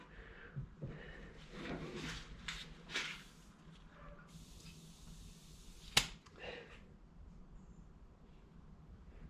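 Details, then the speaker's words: Kawasaki Ninja 500R oil pressure switch removed and bench-tested with about 50 psi from an air compressor (bike had an oil light on): single sharp click when pressure is applied; switch works. "Well, I mean, that seems to be working. When I first apply pressure, I can hear it click. That's pretty neat."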